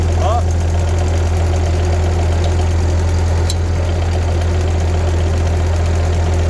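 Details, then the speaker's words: Roughly 80-year-old Ford 2N tractor idling with lift lever raised, deep drone with loose uneven chatter about twice a second from the weak hydraulic pump, before pump is dropped and rebuilt. "so I can hear it like chattering in there the lever up listen when it goes down back up so we're gonna have to drop the pump and take the top lid off see what's going on"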